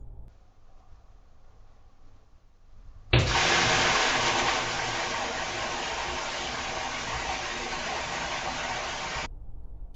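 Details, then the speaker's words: Security-camera recording: sudden loud bang then steady hard hiss of water spraying under full mains pressure as the hose union blows off the tap; hose burst. "obviously as soon as that explosion happened there's like a big black bit or a big solid bit of noise so this is what it sounded like when it let go"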